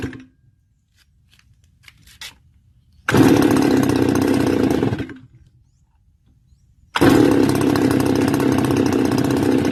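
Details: Stihl FS280 brush cutter two-stroke, warm, cover refitted for fan cooling: fires and revs briefly, dies, restarts into rough wavering run; won't keep running warm, cause not yet found.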